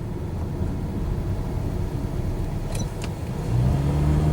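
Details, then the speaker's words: 2002 Pontiac Grand Am SE, 2.2L Ecotec, test drive after new front brake pads and rotors, gentle and quick stops: steady road rumble with no squeal, scrape or grind. Braking is normal. "Everything seems to be working. No squeaking. No unusual sounds."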